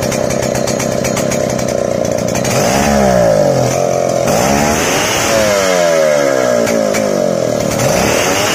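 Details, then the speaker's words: Two-stroke engine on Senso carburetor before adjustment: loud, uneven, wet burbling stutter instead of a crisp note because too much fuel is fed; rich mixture. "Nah, untuk menambahkan bensin, kalian kan bisa dengar sendiri barusan suaranya itu enggak garing ya, seperti ngeberbet begitu, karena pasokan bensin dari sini terlalu banyak ke depan."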